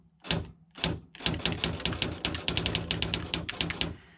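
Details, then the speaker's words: Sharp PA-3000II daisy wheel electronic typewriter, about 74 dB on average, typing: irregular strikes, each with an unusually sharp, very high-pitched snap as the wheel hits the paper. "But when I when I hit the um the keys, even though it's about average for a daisy wheel printer, I hear a very high-pitched snap when it strikes the paper."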